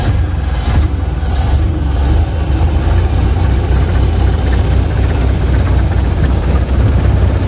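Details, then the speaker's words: 1928 Ford Model A after carburetor rebuild (carb was full of old fuel), driving in second gear under throttle; deep, even engine rumble with no stumbles or popping; running much better than before. "that's pretty good that is a lot better than it was before"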